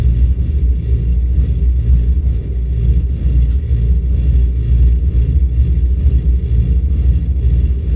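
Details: Volvo 8700 bus with ZF Ecomat automatic at idle: deep, labored diesel rumble with uneven low pulses, engine dragged near stall because the transmission won't engage neutral.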